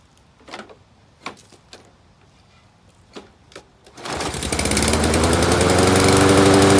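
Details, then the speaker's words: Free walk-behind mower left out in rain, oil overfilled and cap loose: few weak pulls, then oddly slow start into loud, slightly uneven, lumpy run with smoke and oil splatter; running rich, overfilled oil suspected. "definitely running rich okay yeah look at this oil splatter coming out"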